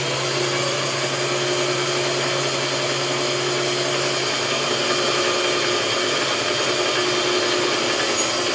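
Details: Harbor Freight bandsaw, 2–3 years old, after its burnt-out stock motor was replaced with a Leeson 1 hp motor, first run unloaded: smooth even motor hum and blade whir, no knocks or rubbing; running normally.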